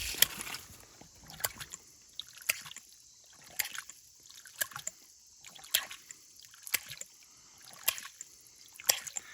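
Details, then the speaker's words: Ram pump feeding pasture water from a creek drying up in a summer drought in Eastern PA. Sharp water clicks come about every two seconds, steady, with splashing between: normal running. Fast clicking would mean it is about to sputter out. "What you're looking for is consistency in your clicking, we'll call it. If it starts going real fast, you know it's going to sputter out."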